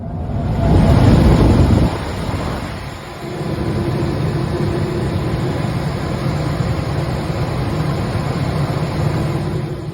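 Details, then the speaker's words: Blower motor shaking violently and tearing itself apart: heavy low rumble throbbing three to four times a second, heard throughout the house; caused by improperly installed ductwork, fixed by correcting ducts and replacing worn blower parts. "you can see the motor was Ring itself apart making all kinds of abnormal sounds throughout the house this was caused by improperly installed duck work"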